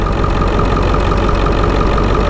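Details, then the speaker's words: Ford 7.3 Powerstroke diesel idling with oil cap off for a blow-by check: deep, steady, unbroken clatter with no knock or miss; little tolerable blow-by. Normal idle, healthy motor. "okay we don't have any blow but I mean that's that's that's tolerable that's that's fine there's a little bit of blow-by but this motor is pretty dang healthy guys I'll tell you that much"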